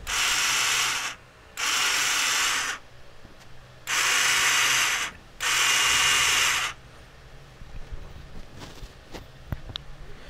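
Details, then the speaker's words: DM200 motorcycle with spark, fuel and compression but no start, microphone moved close: four harsh high-pitched grinding bursts about a second each on cranking, engine never catches; damaged starter bendix slipping on its gear. "ya como ya vion es un ruido Como si se patinara algo ahí se ahí se debió haber escuchado un poco más fuerte ya con el micrófono ahí"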